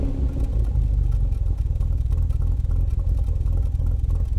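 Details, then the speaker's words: Austin Healey 3000 after SU carburetor work and plug service, mic at rear on exhaust: loud burble, slightly uneven and raspy at idle, much better than before; owner expects it to clear once warm. "it's a little raspy and still a little stumbly but immensely better than before enough so that I think with a little heat in the cylinders it'll clear up"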